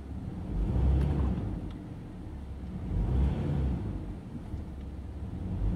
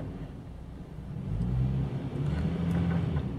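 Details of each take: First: 2009 Toyota Tacoma running rough under load: during brake torque the engine rumbles and surges with an uneven stumble, an occasional cylinder 3 misfire, traced by current ramping to a failing ignition coil. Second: 2009 Toyota Tacoma after replacing the bad cylinder 3 ignition coil: steady low engine rumble with an even idle and no skips or stumbles.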